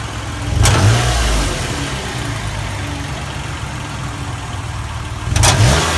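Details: 2008 Toyota Sienna petrol engine idling and revved twice: light, uneven tapping or clicking, roughly three taps a second, seeming to come from the exhaust; cause suspected, not confirmed.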